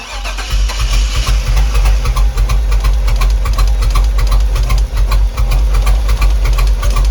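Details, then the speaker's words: 2004 Chevy Express 3500 6.0L restarted after sitting 5 years: cranks, catches, then a ragged uneven idle with irregular low thumping, like running on one cylinder. No knock or valvetrain noise, good oil pressure. Rough running. "Why does it sound like it's running on one cylinder? It is not happy."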